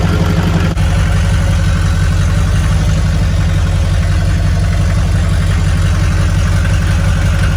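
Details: Shorty Duramax diesel truck, first start-up after a complete frame-off restoration: deep, even diesel idle with a steady low thrum and regular clatter, no leaks, misses or knocks; normal healthy idle.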